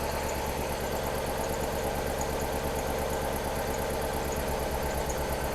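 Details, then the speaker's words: 3UZ V8-swapped Subaru BRZ after injector install: uneven, lumpy idle stumbling just over two pulses a second as one cylinder keeps missing; ECU injector output confirmed, cause not yet found. "Still missing on these that cylinder. That's weird. Look at that. It's still missing on it."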